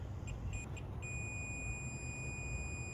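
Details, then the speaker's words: 1980 Chevrolet C30 dually with a 350 small block, ground cable tested from battery to the body: a few short chirps, then a steady high multimeter beep showing continuity, no resistance, good ground. "So that's showing us that there is no resistance at this connection."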